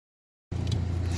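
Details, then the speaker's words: Rover 75 petrol K-series after fuel pump replacement with new seal and one can of fuel added: half second quiet, then steady low hum with even pulse, no misses; engine idling normally. "Right, so as you can probably hear, the engine's running."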